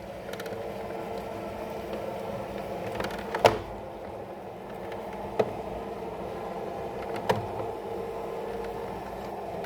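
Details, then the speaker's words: Roller shutter tubular motor, mounted on the left side, after limit setting with the yellow button; even low drone, then sharp relay clicks as it cuts out at the set limit — stopping at the limit normally. "Vous allez entendre le relais. Hop là, là il s'est arrêté, vous voyez."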